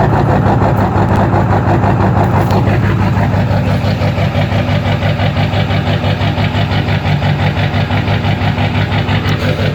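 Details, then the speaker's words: 2002 Ford F-350 Super Duty 7.3 diesel on a cold morning: deep, lumpy idle with an uneven beat near three per second after a hard start from a bad glow plug relay; clears out once warm. "clear out, and then she'll drive like a champ. But in the mornings when it's cold, that's how she goes."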